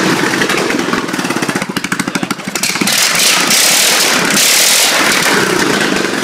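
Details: Craftsman single-cylinder engine on a car battery, kill switch not yet wired, running on somewhat old gas: a few uneven pulses, then catches and runs steady and strong; normal running.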